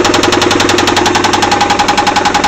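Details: Engine at idle: a hard, evenly spaced knock about ten per second, locked to engine speed; rod knock from a worn rod bearing.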